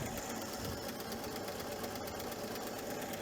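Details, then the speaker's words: 1968 GMC C1500 six-cylinder idling after sitting 17 years, smoking, with a fuel-mixture issue and exhaust leaks. Fast, even lifter clatter from the middle cylinders, matching fouled spark plugs in the centre two. "but I can hear that clattering of the lifters right in the middle cylinders, and it's very consistent with what we saw with the spark plugs."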